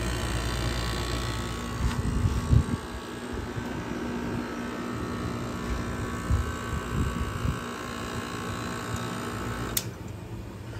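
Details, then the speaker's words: Vintage 12,000 BTU room air conditioner with a badly rusted Matsushita rotary compressor: steady low hum, even fan rush and a few light clicks; still runs smoothly. "This has a Matsushita rotary that is extremely rotted out. I tried painting it, but it didn't really work. Anyway, without further ado, here you go. Still runs."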